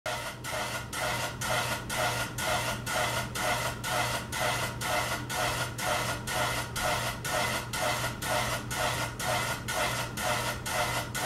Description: The fan made a scrapping sound as the blades turned. Have the fan serviced for safety and to avoid excessive damage to the fan.